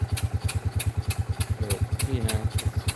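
Slow, even thumping at about three beats a second with a steady low chug; the old single-cylinder pump engine runs smoothly.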